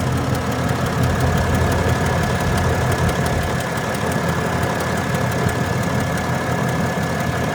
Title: 2021 Ram 2500 ticking noise